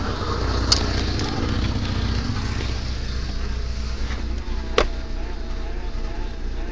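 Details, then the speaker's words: VW Golf 2 16S petrol engine running during water pump job: steady buzz over a rough, uneven idle; owner suspects the fuel pump, and mentions a dead fuel filter, unconfirmed. "ce qu'on entend c'est ma pompe du mal inspiré je pense et puis il paraît que je pense que ça doit être la prep on peut donc l'après pompe"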